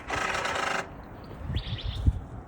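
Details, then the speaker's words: BMW M235i (F22, N55 turbo) salvage car with codes 135808 and 135A08 for the Valvetronic servo motor position sensor: harsh electric buzz under a second at unlock, then faint clicks; Valvetronic servo motor fault noise. "Those codes being, I'm going to read them off right now: 135808, Valvetronic servo motor position sensors electrical malfunction, and 135A08, Valvetronic servo motor position sensor signal not plausible, which in turn made the car sound like this when I turned it on."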